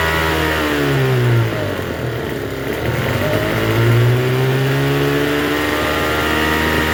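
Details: Troy-Bilt TB272V two-stroke leaf blower after turning the single-D half-moon carburetor mixture screw out about one and a half turns: fast, wavering buzz that never settles to a low idle; runs but idles a little high.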